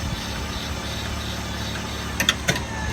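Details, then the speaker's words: 2019 Wildwood 37BHSS2Q travel trailer stabilizer jacks extending to the ground: steady electric motor drone with a few sharp clicks as the jacks touch down and firm up; normal operation, stabilizing only, not levelling. "just that bit of firming and that's all you want for retracting you're just gonna press and hold the tract until they suck up to the trailer and stop by themselves"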